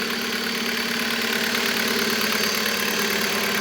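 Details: Hyundai Solaris 1.6 G4FC, manual, running on gas (LPG), about 440,000 km and burning oil, idling with a hard, bright knock about four times a second: piston slap in worn cylinders.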